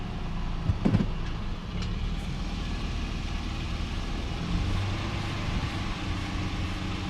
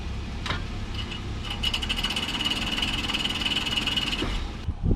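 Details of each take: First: 2008 Toyota 4Runner in drive after a rear brake job: a steady low drivetrain hum and no more rear ticking. The loose parking brake spring that was touching the studs has been fixed. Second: 2008 Toyota 4Runner (4th gen) after a rear brake, rotor and caliper job, in Drive with the rear wheel off: quick, regular metallic ticking in time with the wheel, from a loose parking brake hold-down spring catching the studs.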